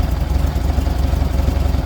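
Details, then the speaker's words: 1978 VW Super Beetle flat-four with L-Jet fuel injection, after the over-advanced timing was retarded while aiming for 28–30° max advance. A slow, lumpy, low idle results, before the idle screw is raised to around 800 rpm. "So, we're going to bring it back. So, right about there is where it wants it. Uh, but as you can see, the idle's a little low."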